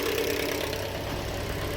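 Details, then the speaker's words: 2013 Toyota Corolla 1.8 16-valve flex-fuel with CNG, automatic, at idle with A/C on, complaint of noise on acceleration: loud steady harsh grinding vibration from the accessory belt area. "ligar o ar aqui ó já fez um barulho lá tipo uma vibração"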